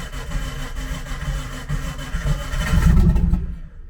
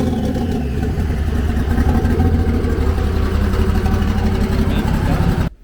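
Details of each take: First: Nissan S13 on jack stands running E85, first start after sitting since last moved: uneven, labored cranking around four turns a second swelling as it tries to fire before catching; hard cold start on ethanol. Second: Nissan S13 on E85 fuel, warm, on jack stands; even idle settling around 700–800 rpm with a couple of clean smooth blips, no misfire or knock, fuel pressure, oil pressure and temps good: healthy engine.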